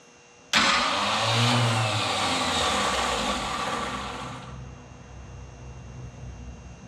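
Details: Neglected 1968 Mercury Cougar V8 first start in 5 years after a washer fell out when the starter was removed: fires into a loud even rumble then settles lower with no knocking; rods sound fine, oil pan still needs fixing.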